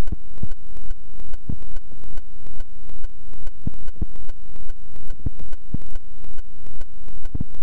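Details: GoPro camera glitch in one clip only, not repeated: harsh electronic buzzing pulse about twice a second with a sawtooth swell; audio recording glitch.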